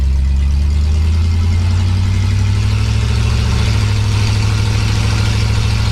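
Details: 1965 Pontiac Catalina V8 after cleaning the Rochester 2-barrel carburetor and new gasket; deep steady idle with even low beat, no stumble or miss; runs a lot smoother; smooth idle.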